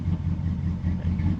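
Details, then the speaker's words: 2004 Dodge Ram, warming up after a vacuum line was replaced, no codes: low, lumpy idle sagging briefly every half second or so; rough idle, tune-up suspected, cause unconfirmed. "It's idling a little weird right now. That's kind of concerning, but if you can see, the idle will drop pretty low sometimes."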